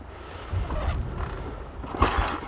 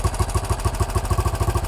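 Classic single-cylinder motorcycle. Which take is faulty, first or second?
first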